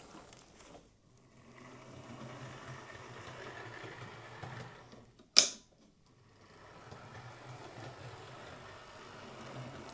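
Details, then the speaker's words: Bachmann Class 24 model loco after servicing: it had made a clicking, rattling noise, suspected drive shaft, traced to dried-up grease; final test shows a quiet, even motor whirr with no clicking, one handling knock; runs smoothly. "Yeah, it's fine. Okay, we'll pull it out the shed. So that's Gary's Class 24 sorted. It just seemed to be a case of dried up grease."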